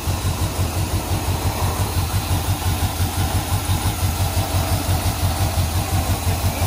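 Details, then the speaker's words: 1968 Suburban with 5.3 LS V8 swap after loose ground fixed and wiring harness replaced: steady low warm-up idle, even pulse near three a second, no misses or knocks; best it has sounded yet. "well guys this is definitely the best that's ever sounded up to this point"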